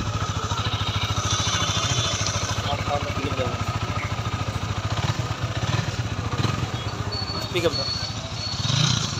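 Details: Honda CBR motorcycle after a full engine setup, with a local clutch plate found to cause the sound problem: fast, even exhaust pulses, steady idle, light revs; now sounds settled and smooth.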